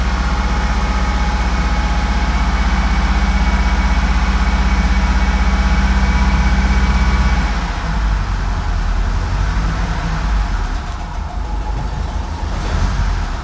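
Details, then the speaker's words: Ford Scorpio 2.0i GL, 200 km after repair: a steady, low, even idle with a smooth regular pulse and no misses or knocks; it runs fine with no main fault and brake fluid and coolant are good. "donc la voiture tourne nickel est opérationnel à 200% il y a pas de défaut principal"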